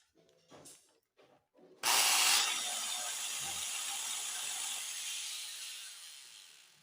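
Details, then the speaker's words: Angle grinder with burning smell starting with a harsh, hissy rush instead of a clean whine; armature visibly faulty with parts not making contact, armature replaced. "então eu acredito que seja por causa disso que ela tá esse problema de Cheiro de queimada e fazendo esse barulho diferente"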